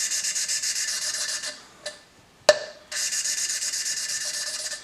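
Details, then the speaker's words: 2000 Ford Mustang 3.8 L V6 aluminium head, valve hand-lapped lightly: quick rhythmic gritty grinding strokes with short pauses, growing lighter and smoother as it wears in; seat nearly finished. "you'll hear a grinding sound as it wears in that sound lift it up turn it that sound will get lighter like it is now"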